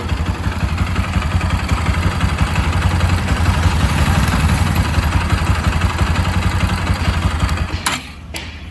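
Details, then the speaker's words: Bajaj Pulsar 200 (RS/NS/AS200) warm idle in neutral, silencer blocked: a loose, uneven clatter of about three taps a second stops with the engine. It is a slightly worn timing chain that needs replacing. "यह जो guys sound है यह है timing chain का। ठीक है? अब यह जो साउंड आ रहा है टाइमिंग चेन का यह आ रहा है अपनी गाड़ी गर्म होने के बाद में।"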